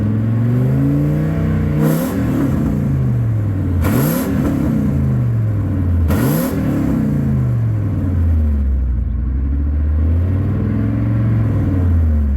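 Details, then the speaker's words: Engine after bearing replacement with homemade EGR delete, heard straight off the headers with no exhaust; loud raw blips every two seconds or so with a faint light tick underneath, tick chased for weeks and source not found. "After spending several weeks chasing down this tick, what I've learned is, who cares where it's coming from? Just drive it till it blows up, because you ain't gonna find it."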